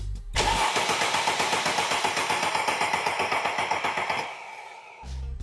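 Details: Mercedes-Benz that won't start; starter confirmed fine, key in position 2, 12.3 V power probe feeding relay circuit 87: steady starter churning, about four beats a second for four seconds, with no catch or fire. Cranks but won't start.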